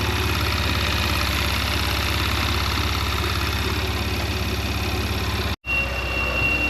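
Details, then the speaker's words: Porsche Macan, warmed up 4–5 minutes and then blipped about three times; a thin, high, kettle-like whistle comes in over a steady idle, from the PCV valves, quieter when cold. "There it is. All right guys, so I let it warm up for maybe about 4 minutes, 5 minutes, and it still wasn't making the noise. So I went ahead and I tapped on the accelerator a few times, slammed it maybe 3 times, and boom, here it is."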